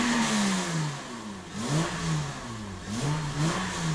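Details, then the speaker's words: Honda Accord with modified exhaust and broken-out catalytic converter pieces; crisp throttle blips, a bit louder with a deeper grunt, more responsive, revving freely and sounding healthy. "a lot more responsive still doesn't sound too bad has a little bit of a grunt to it but nothing crazy which I'm totally okay with"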